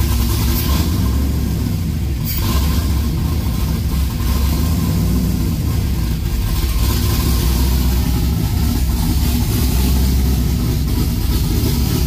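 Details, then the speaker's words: LS V8-swapped OBS Chevy 4x4 truck with long-tube headers, cam and clutch: a deep, lumpy idle that drifts slightly up and down instead of holding steady. The idle is hunting. "yeah it's hunting a little bit you can hear it hun okay woo it's loading up"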